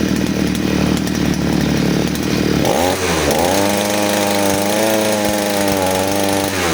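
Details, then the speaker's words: Side-mounted brush cutter with carburettor mixture screw deliberately loosened as an over-rich example, nylon-line setup: after a rough start it settles to a steady, dull, slightly lazy drone without crispness; very fuel-hungry and powerless. "Ketika bunyi seperti ini itu mesinnya sangat boros dan tidak bertenaga."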